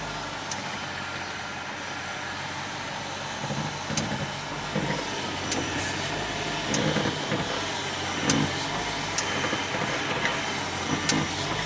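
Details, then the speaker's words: BMW E65 750 seven series: sharp metallic clicks from the front suspension when turning the steering, also over bumps or braking, brakes on or off; caused by loose control arm ball joint nuts that needed tightening. "the cause of it believe it or not is the control arm ball joint nuts so that's the other side of the control arm usually the rubber is worn there and that's what the problem would be but this metallic clicking sound is actually caused from the nuts so"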